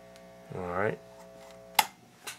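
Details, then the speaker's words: Restored organ tube amp, tested on an isolation transformer and with a different speaker: low, steady hum that never changes, much more than its twin amp; speaker ruled out, cause not yet found. "so this one amp has a lot more noise significantly more that's too much that is too much no one wants to listen to that"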